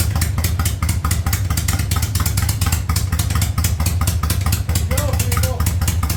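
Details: 1985 Yamaha Virago V-twin with a single-carb conversion: steady, even loping beat with clean firing and no misses or knocks. It runs properly.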